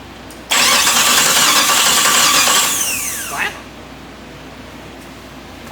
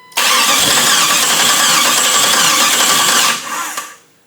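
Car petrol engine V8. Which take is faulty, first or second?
second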